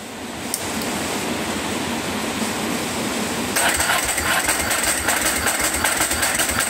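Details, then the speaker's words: Ducati 749S: steady rhythmic cranking with faint, irregular firing that never catches. Strong petrol smell from the exhaust, wet plugs, and spark confirmed on both coils; the fuel pump was disconnected to run it lean. Flooded engine. "it smells like it's flooding but it still sounds like it's firing a little bit so I think we've got spark I think we're flooding"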